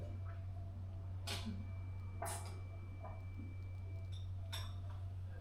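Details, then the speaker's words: Samsung refrigerator prone to freezing, after the ice was melted off the evaporator fan area and the fridge reassembled: low steady hum with a faint even tone and no fan noise; runs normally, no more weird noises. "no more weird noises no more ice buildup this is the last time listen to that"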